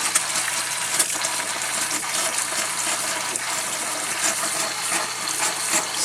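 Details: Camper water system after replacing the old 1997 Surflo pump with a Surflo 4008: water hisses from the tap in uneven spurts and gushes while pressure builds. The faucet is sputtering, and the owner suspects the lines need cleaning out.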